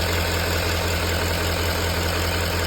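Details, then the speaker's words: Engine idling steadily and evenly after a coolant temperature sensor replacement, smooth low rumble with no knocks or misses, left running before a leak check; normal idle. "all right let's see oh there she goes all right we'll let it run for a minute and then we'll go out and check for leaks"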